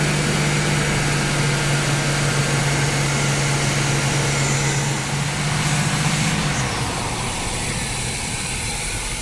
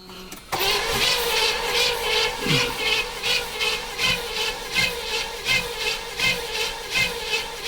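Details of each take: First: 1976 Chevrolet Nova V8, 35-year garage find, first running with a screwdriver propping the carburetor throttle plate (choke/accelerator pump issues suspected): steady even low rumble, no hunting or misfire; idling well, upper radiator hose warming. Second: 1976 Chevrolet Nova stored in a garage for decades: steady, even cranking at a bit over one turn per second that never catches; cranks but won't start, with the choke suspected of not working and starting fluid to be tried next.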